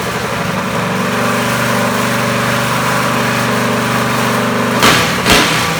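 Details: Small single-cylinder kart engine on the rebuilt Dingo with torque converter, started via starter box; buzzes at a steady high idle, even and clean, then a couple of blips; runs fine.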